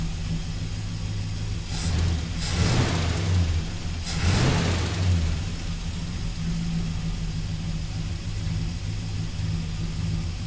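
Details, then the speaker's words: 1971 Dodge Sweptline big-block V8, after carburetor rebuild with new gaskets to stop fuel filling crankcase and hydrolocking rear cylinders: quick throttle blips then steady, even low idle, no stumble or smoke; running clean. "I'd have to say, with that power valve, sure does sound good now. No more of that smoke bellowing out the back."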